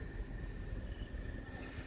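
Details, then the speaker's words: Mini split outdoor unit after a leak repair, indoor temperature 73°F: the system ramped itself down, fan much slower, pressure slightly over 300. Low steady hum with a faint constant tone and no rattles; running normally at reduced speed. "Now the system just went ahead and ramped itself down. The fan speed slowed down a lot, and our pressure here is just slightly over 300."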